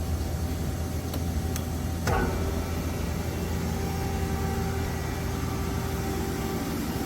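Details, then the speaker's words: Amada RG-80 CNC press brake, NC9-EXII control, 1990 (seller believes 1996), wired up: couple of switch clicks then steady even low hum from pump and motor, no knocking or whine; running normally. "And she is running, wired up and running."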